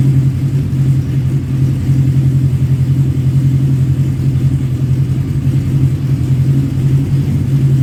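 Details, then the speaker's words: 1985 Kawasaki GPz900 Ninja four-cylinder, revived, slightly warm, idling: deep even idle, steady low tone, no misses or knocks; normal idle, though a coolant leak appears afterward. "But anyway, so yeah, you guys heard it. Sounds good."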